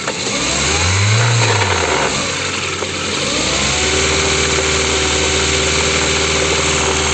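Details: Ford engine catching, settling to idle and revving, with a quick, steady knock that follows engine speed. The cause is not determined.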